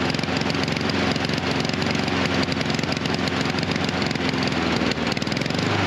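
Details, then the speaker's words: Husqvarna HU 700F mower with choke that stays choked after the lever is pulled off. The single-cylinder engine putters, hunting and stumbling unevenly instead of holding a steady beat, running rich and rough from the stuck choke. "Uh, but then you you let it go slowly or whatever you need to do and it's it's it's stuck back on and it runs like crap."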